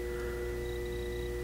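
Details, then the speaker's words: Loud, steady mains transformer buzz with low hum and thin high whistle from a nearly new ADA Digitizer 4 programmable digital delay unit; the buzz stops when the unit is switched off. "the only thing i'm not liking about it at the moment is the transformer hum can i hope the camera can pick that up hear that that buzz this thing's buzzing like crazy"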